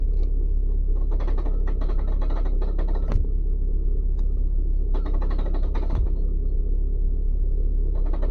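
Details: Idling engine with patches of dry, clattering gearbox rattle in neutral when the clutch is released; the car also can't get out of 5th gear.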